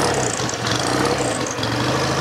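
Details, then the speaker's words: 1963 BSA Rocket Gold Star twin, warm, normal idle: steady, even tick-over with no floating, rattle or top-end tappet noise; tappets quiet and healthy. "we're looking to see if it's floating which it isn't it's got a nice regular tick over"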